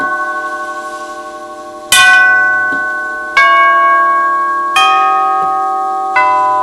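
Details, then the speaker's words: 1939 NuTone Series 2 8-note long tube door chime playing its 8-note tune with volume adjustment at about halfway: clear but soft, fast-decaying strikes, probably too soft even for an average house; volume set too low. "And that's probably a little soft, even for an average size house."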